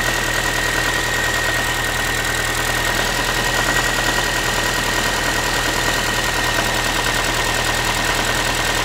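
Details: Ford Focus 3, 1.6 (125 hp) engine idling steadily after a cold start: a tinny, can-like metallic rattle repeating about three times a second; source undetermined, owner asking what it is.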